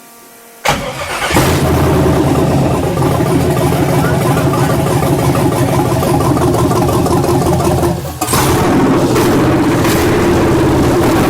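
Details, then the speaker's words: 1967 Chevelle with LS swap, first start: V8 cranks, catches and settles into a loping, uneven idle with a brief stumble midway; big cam, no MAP sensor or mass airflow sensor fitted, so it probably isn't running as it should. "that sounds cool real big that's a stage 17 cam so we have absolutely no uh map sensor and we have no mass air flow so it's probably not running like running like it should but it runs"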